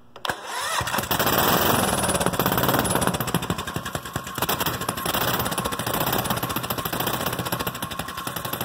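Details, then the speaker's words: Goofy Cart 2 small single-cylinder with Mikuni-style carburetor, first start after 20 months in a cold shop: starts at once, crisp throttle blips and quick rev changes, loose exhaust bouncing; runs well, normal running. "real good response with that mikuni style carburetor and as you can see the exhaust is kind of bouncing around because it's loose but yeah I'm happy with that starts real well runs good"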